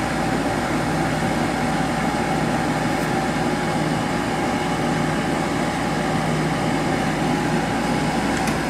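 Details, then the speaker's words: 1997 Sharp 8,500 BTU window air conditioner on low fan: steady whooshing airflow with faint constant hum, quite quiet; long-standing mild motor bearing noise and a slight rattle on the cage or case. "it's on low a little bit of a rattle outside on the cage or the case"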